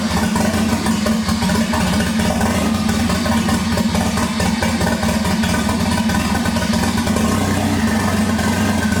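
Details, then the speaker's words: 1988 MK3 Supra with swapped 1JZ-GTE VVTi, just first started after fuel pump fix: loud idle with uneven lumpy beat and irregular stumbles under a constant drone. Owner believes roughness is wiring or plumbing, not mechanical; unconfirmed. "alright guys as you can see it's running a little bit rough but i'm more than certain it's nothing mechanical and it's either to do with the wiring or maybe even the plumbing"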